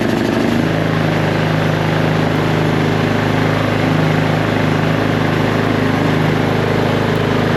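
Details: Huskee riding lawn mower that had sat for weeks, after new gas and a new ignition switch: a brief crank, then it catches and settles into an even, steady putter with no misses or knocks; idling normally.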